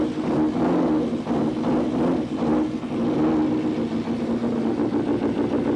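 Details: 1999 Gen 1 Suzuki Hayabusa after injector cleaning and seal replacement: clean throttle blips rise and fall smoothly with no popping, banging or missing; before the clean it popped and banged like a misfire.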